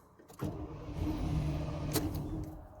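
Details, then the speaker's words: Chevy OBS truck with 7.4 L 454, sat one to two years, new battery: cranks, runs rough about two seconds on starter fluid, then quits; no fuel pump sound or relay change, fuse good, suspected fuel delivery problem. "so that sounds like a gas problem [Music] all right well i got the thing to crank and fire up and with starter fluid it'll run but it's not getting any fuel"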